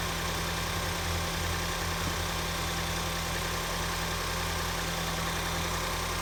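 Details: 2014 Ford Escape 1.6L after head gasket replacement, warmed up and driven: steady, even idle with a smooth low hum, no knocks, misses or ticks; runs healthy, repair called a success.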